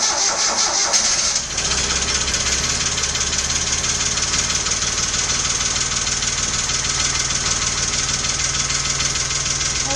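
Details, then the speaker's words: 1993 Geo Metro 3-cylinder 5-speed, first start with new tune-up parts: busy idle with fast light lifter ticking; plugged hydraulic lifters were starving a cylinder of oil, expected to pump up and quiet after 15–20 minutes of warm-up. "As it warms up, the liquors are going to pump up. All the cylinders are going to come online. Motor's going to get quiet."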